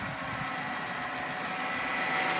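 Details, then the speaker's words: 2008 Kia Spectra idling steadily while the wheel is turned, with no belt squeal after adjusting the misadjusted power steering/alternator belt tension; the loud squeak is fixed. "all right problem solved baby go ahead do it again so i can show them you turn to the wheel turn the wheel [Applause] no more squeak"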